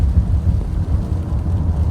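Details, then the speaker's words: 2016 Nissan X-Trail/Rogue at 40 mph after replacing front hub bearing and axle for a front humming: only steady low road rumble, no hum or growl from front wheels; noise gone, normal driving. "and the noise is gone."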